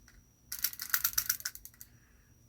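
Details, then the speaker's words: Left-handed fishing reel with the bail spring missing: a quick burst of light, sharp ratchet clicks for about 1.5 s as the bail is flipped over, then silence. It clicked over once but doesn't return properly. "It's a left-hander. And you hear it clicking because this spring is not."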